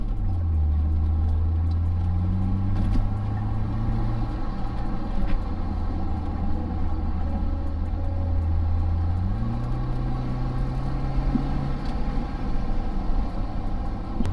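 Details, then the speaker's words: Audi B7 A4 after a cold air intake and diverter valve install, warmed up, in sport mode, check engine light still on: the engine pulls up cleanly and evenly under throttle and settles back with no misses or rattles. Normal acceleration. "This will sound so much better. Guys, the Audi is fixed."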